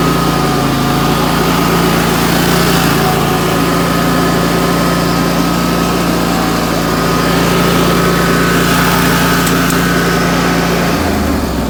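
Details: Wright Stander X stand-on mower, just finished restoration/revival and rewired with a substitute ignition switch: steady, even engine drone at constant pitch for ten seconds, no misses or knocks, dropping slightly at the end; normal running.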